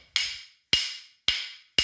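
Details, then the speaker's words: Grinding wheel ring test, wheel hung on a pencil or wooden rod and tapped: four sharp taps each dying quickly with no metallic ring, a dull tone indicating a crack, possibly a hairline crack. "आवाज़ ऐसी हो जाएगी। अगर ये ऐसी आवाज़ आ जाए तो इसका मतलब है कि इसमें कहीं क्रैक है,"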